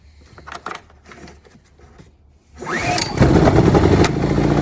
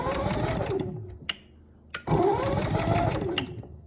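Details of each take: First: Generator being serviced; after backfire and a pull start, a few fumbling knocks then it catches with a rush and settles into a steady even drone; running properly. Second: Camper generator with electric start, economy mode, remote and auto choke; rapid whirring crank in two bursts, never catches; won't run because the gas wasn't turned on.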